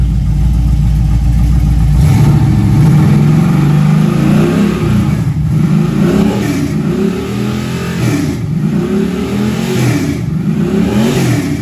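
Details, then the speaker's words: Junkyard LM4 aluminum 5.3 LS V8 on a run stand with the stock cam, before the cam swap, idling then revved. Deep, even idle and smooth throttle blips with no misfire or knock; runs healthy. "so yeah this this should just run and idle completely on its own run it for a few minutes"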